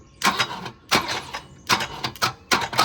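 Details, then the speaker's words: Volvo 242 found abandoned in the woods: starter cranking in slow bursts with a loose metallic clank on each turn; the crank pulley is loose. "Something's loose. Something loose clanking around. I don't know why that's loose. There's a crank bolt in it."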